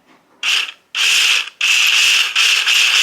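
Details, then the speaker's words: Nileole battery automatic card shuffler on C batteries, before oiling: short bursts of harsh, high, rasping grind each time the little motor runs. Dry, unlubricated gear mechanism needs oil. "so just like Clockworks it needs it's going to need some lubrication"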